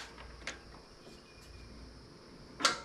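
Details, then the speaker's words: 440 engine on a run stand, poor engine ground: two sharp single starter clicks about two seconds apart with no cranking; the starter tries to engage but lacks the power to spin the engine; bad battery cables also suspected. "there it tried to engage yeah it tried but it still didn't have the UMP no yeah see it's not engaging because it's not firing and it doesn't have enough"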